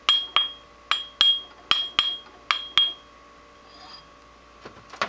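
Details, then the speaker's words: Ring test on a good grinding wheel, tapped in a couple of spots while mounted on screwdrivers or a rod in a vise: eight sharp taps, each giving a clear high ring that hangs and fades; the wheel has no cracks and is sound. "ty much just tap it in a couple spots and you can hear it's got kind of a ringing sound to it so that's a good one"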